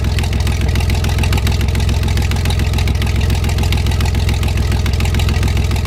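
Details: 1973 GMC 432 cu in V6, first run after about 5 years sitting: low, even chuffing idle with a steady beat and no knocks or misses; no smoke once warmed up; normal idle.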